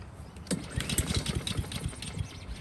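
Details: Honda lawn mower pulled from the dump, NGK plug fitted, tried without choke: several uneven pull-cord thumps and rattles with no combustion; turns over but will not start, fuel suspected.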